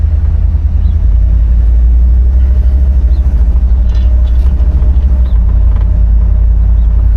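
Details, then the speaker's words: 1964 Chevrolet Impala SS convertible V8 on test drive under gentle throttle at low speed: deep, even rumble with no stumble, miss or hesitation; engine pulls smoothly and runs healthy. "So far, so good. Obviously, we didn't really go anywhere, but no hesitation. Throttle sounds decent."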